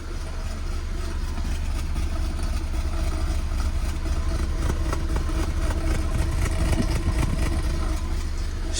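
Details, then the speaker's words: Car with the engine management light on and one fault code stored, after parts were swapped over. Uneven, lumpy idle with an irregular chuffing beat like a misfire, and the engine visibly jumping; cause not yet pinned down. "chuffing like it's misfiring please you see it's like it's moving a bit as well like jumping very strange"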